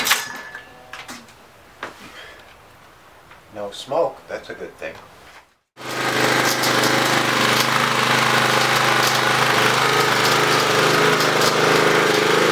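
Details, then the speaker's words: Curb-found Craftsman 917371722 mower with Honda GCV160 engine after cleaning the dirty carburetor and adding fresh gas: fires and settles into a strong, steady, even run with no stumbling; it runs great. "all right so overall the mower ran great we just had to do some simple things to it the carburetor was dirty"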